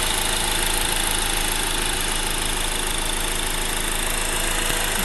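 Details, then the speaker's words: Honda Accord i4 sedan idling with the hood open, recorded at the engine block: busy, diesel-like ticking clatter at an even rate; healthy engine at normal idle. "right there, that's where it's coming from. Sounds like a diesel engine almost."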